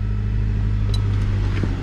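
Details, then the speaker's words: 1997–2001 first-gen Honda CR-V with replacement engine just fitted, running without exhaust or catalytic converter, no check-engine lights: loud raw but steady low rumble with regular beat and no knocking; normal running. "So obviously this thing's a little bit loud, guys. It doesn't have an exhaust or a cat, so we're gonna have"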